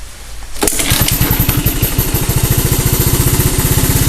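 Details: 3-wheeler after sitting long, cold start: quiet then catches at once and settles into an even beat of roughly twelve pulses a second; normal start and idle.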